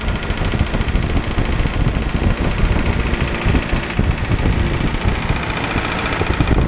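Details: Isuzu 4BD2T turbo diesel at initial startup, warming up before the thermostat opens: steady low clatter at idle, rough but even rumble, no odd knocks; healthy engine.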